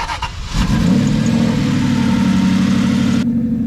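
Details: Cheap auction-bought Aston Martin V8 Vantage, manual six-speed, modified and sitting with unknown mechanical damage, low fuel, battery charger connected: brief crank, then the V8 catches and settles into a steady, even run with no misses or knocks; clean start.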